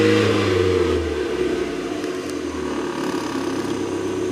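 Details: Mazda MX-5 engine revving and dropping back with an uneven, stumbling beat under the exhaust note, a misfire.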